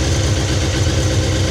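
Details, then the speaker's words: Older four-cylinder sportsbike, first cold start since purchase: steady, even low burble with smooth regular pulse, no knocks or rattles; idles cleanly, better than owner's Fireblade; old oil and fluids still due to be drained. "Well, that sounds sweet. That engine sounds better than my Fireblade, to be honest."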